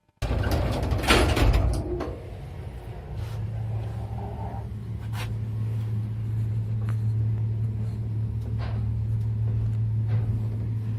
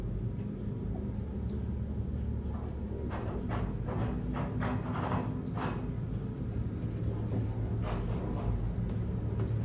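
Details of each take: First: Elevator after replacing counterweight guide shoe liners and oiling the rails, travelling up: a few door clunks then a steady low hum with no knocking; smooth, even running. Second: Elevator car moving: low rumble with uneven knocks as worn counterweight guide shoe liners rattle in the rails, before the liners are replaced; a breaker had tripped.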